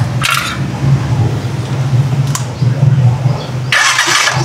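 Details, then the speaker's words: Rusi Chariot 175 trike engine started after changing to Bajaj oil, previously noisy with the old oil: catches and settles into a low, even, quiet idle with no rattle or roughness; normal idle. "Napakatahimik din ng makina nito guys."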